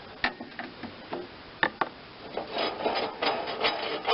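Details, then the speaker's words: Lawn Chief 300 rider with a Briggs & Stratton 8hp engine and 5-speed: the free-spinning idler pulley gives a dry, scratchy rasp with irregular ticks and no smooth whir. The bearing has no grease and is being greased. "I mean, these obviously have no grease in them whatsoever. You can just hear them, they just run forever."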